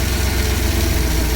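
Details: 1995 Ford Jayco RV after changing exhaust manifold flange gasket: low steady idle with rapid puffing tick on each exhaust pulse; still leaking, exhaust manifold leak.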